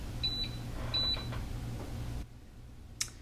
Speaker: It says you will hear a single beep when the frothing pitcher has been positioned securely. If it has not, you'll hear the 3 beeps, which is what I just heard. So I guess I did not have that pushed in far enough.